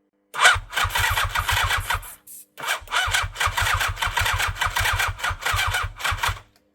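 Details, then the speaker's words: 1987 superbike abandoned 16 years, 8 outside: starter spins the engine in two bursts with a fast, even chug, no firing or catch; cranks but won't start, owner suspects no spark. "That ain't gonna work. I wasn't expecting it to, but how cool would it have been if it did?"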